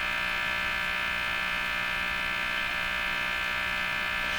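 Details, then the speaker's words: Philips Model 175 three-band tube radio on first power-up through a bulb limiter and isolation transformer: a steady hard buzz with high hiss rides over reception. Attaching a ground made the station stronger; cause of the buzz not found. "wish we didn't have that noise let's try something here if I put the ground on some of that noise might disappear"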